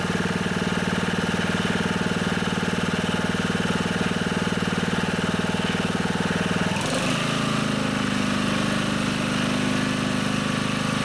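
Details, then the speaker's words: Honda HR215 lawnmower, warmed up, idling evenly then revving smoothly to a steady higher speed with no surging, after unplugging the carburetor slow (pilot) jet; it had surged at low and high speed. "so it looks like that fixed it I knew there was a problem with the slow speed system because when I tried to run it at low rpms it was surging so that's where I started and it looks like that solved the problem"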